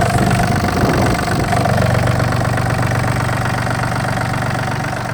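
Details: Yanmar AF226 26 hp 4WD Japanese mini-tractor with reverse, diesel: idles evenly, smooth low thrum about four pulses a second, no knocks or misses; normal idle.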